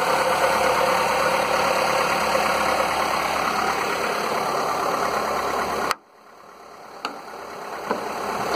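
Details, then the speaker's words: Skoda, probably a Fabia, with VW 1.4 16V petrol engine (BKY), the morning after piston replacement for piston slap that had knocked cold and warm: smooth, even idle with only valvetrain tick and no slapping; repaired, normal idle. "Wcześniej to klepał zimny, ciepły, bez różnicy. Zimny trochę mniej klepał, po rozgrzaniu bardziej, ale widać, że jakiekolwiek klepanie w tej chwili już jest zlikwidowane w tym silniku."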